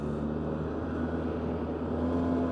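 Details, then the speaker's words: 2003 Polaris Sportsman 600 parallel-twin quad on test ride: steady even engine drone with no knocks or misses; smooth, healthy running engine. "Now, I will say one thing about these 600's, they have a super smooth running engine. I mean, it's it's a very small V uh not V twin, inline twin, and it's just it's very smooth, idle smooth, and it's it's a parallel twin, so it doesn't sound like a V twin at all."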